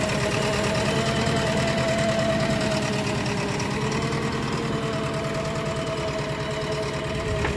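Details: JCB 3DX BS4 backhoe diesel at idle: steady idle carrying a hard, irregular knock about three times a second over a droning background. Owner attributes it to a faulty injector and plans to replace the injectors.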